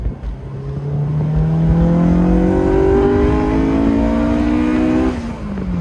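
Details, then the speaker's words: Honda S2000 with rebuilt, bored-out engine and ARP head studs, warm, just back together after an intake gasket leak fix: revs cleanly, pitch climbing smoothly under throttle and dropping back, no knocking; sounds good, normal. "It sounds so good. I mean, might as well give her some beans."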